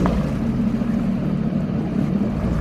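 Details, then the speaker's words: 2021 Sea-Doo Spark 3-up 90 salvage jet ski, after a cheap hull repair, idling at a dock on first test in the water: smooth low hum, slight wavering drone over splash, no rattles or misses; sounds better in the water than out. Normal idle. "sounds a lot better in the water than out of the water"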